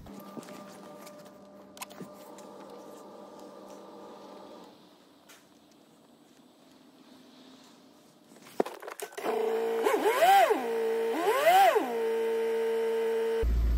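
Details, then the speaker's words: 2015 Volvo V40 1.6 diesel after replacing injector 4 (code P1264), with air possibly in the fuel system so it may run a bit lumpy: steady idle, then two quick rev blips that rise and fall cleanly with no knock or stumble. Normal diesel idle. "just had it running for a few but let's just give it a few revs and just let it settle down"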